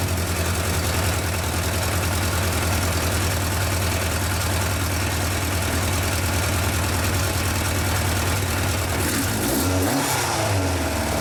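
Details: Yamaha FJ 1200 café racer: starts well and holds an even, steady low-burble idle with no hunting, stumbles or ticks; healthy, then taken for a short test ride.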